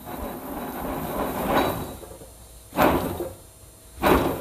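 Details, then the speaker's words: Old wheel bearing from a Subaru Forester, removed after loud road noise and held in a vice, spun by hand: rough, gritty rasping bursts and stiff rotation, a worn bearing grinding, unlike the quiet new bearing. "the other one's still really stiff so hey maybe we're on to something"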